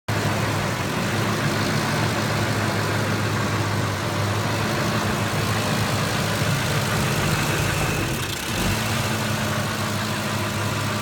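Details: 2005 Ford F-150 5.4 Triton V8 with uneven idle pulse and brief stumble, then dies; cause was corroded fuel pump driver module above the spare tire, exposed board shorting after rain.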